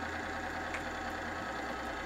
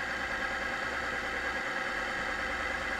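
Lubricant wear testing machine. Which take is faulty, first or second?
second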